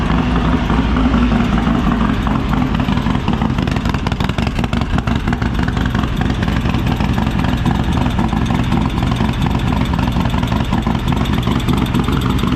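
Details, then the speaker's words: Harley Lowrider S 143ci rebuild, APE CR515 cam, D&D Lowcat 2-into-1, first fire-up on base map running very rich: loud lumpy V-twin idle with light fast ticking; lifter noise while still bleeding up oil pressure. "Well, the first fire up went well. Obviously ran and all that. You probably did hear the little bit of lifter noise there as it was still bleeding up oil pressure."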